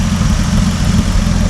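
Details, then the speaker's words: 76-year-old 1950 Dodge Meadowbrook L-head engine warm at idle, oil pressure good, temp steady, temp gun readings about 134–152, no leaks seen: low, even, smooth rumble with no miss, tick or knock; normal healthy idle. "I mean, does that sound good to you, or is that just me? That sounds pretty good."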